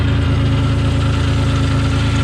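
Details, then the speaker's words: Dodge Stealth first run after reinstalling a repaired ECU: a steady warm idle with a faint tick and noise from the front of the engine; owner suspects lifters or worn front bearings, source unclear. "but I can hear noise out of the front of the engine over here"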